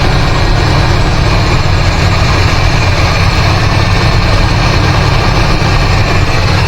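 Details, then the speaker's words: 1985 GMC C25, 454 7.4L, Turbo 400: heavy, lumpy idle misfire. Disconnecting two plug wires changed nothing; owner suspects bad spark plugs and wires. Fuel delivery problems also unsolved. "Well, she didn't quite run good enough to take her around the block. I just uh took it up the uh driveway a little bit and uh got some serious sign issues."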